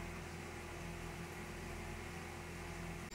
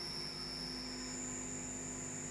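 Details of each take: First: CNC machining a prototype belt part in a vise, after earlier chattering passes: steady even spindle and cutting hum with no chatter or squeal; cut now sounds smooth. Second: CNC machining a prototype belt part in a vise, second pass: loud piercing squeal jumping higher over spindle hum; harsh chatter, cause unclear.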